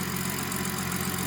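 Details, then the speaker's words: 2016/2017 BMW 340i at idle right after installing a VRSF charge pipe replacing the plastic OEM pipe, battery reconnected; steady, even idle with a constant low hum, no hiss, surge or misses, no boost leaks, normal idle. "Start up. After like 10 seconds, everything's ready. I was gonna say the idle was gonna surge your shit."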